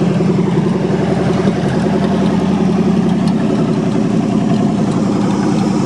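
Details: 1963 Allis-Chalmers front-end loader with 1978 Monte Carlo 305 V8, first start after years parked: loud deep lumpy but even idle, no knocks or misses; runs fine though still a bit cold.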